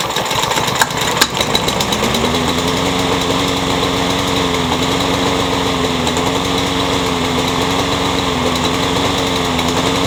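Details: Troy-Bilt curb-find mower after blade struck a railroad tie, crankshaft straightened, keyway repaired, new blade: catches after a couple of pulls, settles into steady even buzz, no knocks or misses; runs fine.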